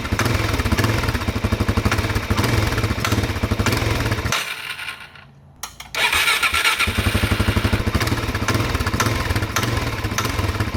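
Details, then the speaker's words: Suzuki DRZ400 with lowering links, runs great at full throttle but at idle a small throttle blip brings an aggressive knock over the single-cylinder thump; source not yet found. "when you have it idling here and you blip the throttle just a little blip it knocks like it's a it's an aggressive knock"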